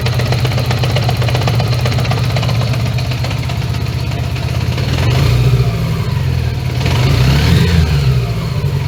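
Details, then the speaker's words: 1980 Honda GL1100 just after carb sync, with idle raised and the engine not yet warm: a loping, uneven beat of about four pulses a second. It misfires at idle and doesn't run on all four cylinders all the time. "Yeah, it doesn't run on all fours all the time. So, let's uh give it some time and let it properly heat up."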